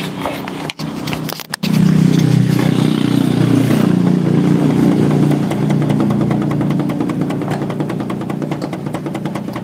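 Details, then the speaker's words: Honda Supra motorcycle engine spinning up after a couple of bumps into a steady hum with an uneven knock; crankshaft end play is close to 1 mm, far too much, likely from missing shims or worn bearings; the fix is adding the correct shims. "ini bihan ini hampir mencapai 1 mili sehingga suaranya kencang karena kebanyakan jadi kalau mesinnya diputar dia akan bunyi kayak gini"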